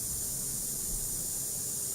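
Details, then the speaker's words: Car audio preamp with treble boosted to about the 2 o'clock position: steady, high, airy hiss like rain, silent when turned down; normal at such high gain, not a fault. "ลูกค้าบอกว่าเร่งvolุ่งเยอะแล้วเสียงซ่านะครับแล้วอยากส่งมาให้ผมแก้ซ่าอ่ะเดี๋ฟังดูนะเป็นไงได้ยินมั้ยซ่าเลย"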